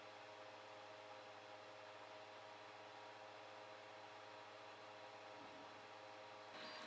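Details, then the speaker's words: Geeetech Pro B 3D printer with old A4988 stepper drivers, before the driver upgrade, with only the fans running. Soft, steady airy hum with a few faint fixed tones and no rattle or ticking. Normal cooling fan noise. "now let's have a look at the printer's noise level before we make any changes this was just the fans running"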